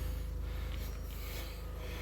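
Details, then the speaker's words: 2003 VW Beetle Turbo S running again after a broken timing belt, with codes cleared: low, even rumble with a steady rapid pulse and no knocks or ticks, idling smoothly; sounds good, runs good. "sounds good runs good"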